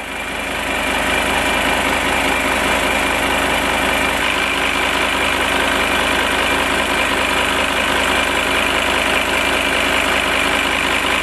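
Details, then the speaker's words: VW Touareg V10 TDI at idle and revved: a sharp, hissy chuffing pulsing with the firing, heard around the engine bay. Suspected leak; a boost pipe was thought unlikely and the vacuum lines were being checked. "Now, if I rev it, you can hear it as well. So you can hear that, it's a bit hissy."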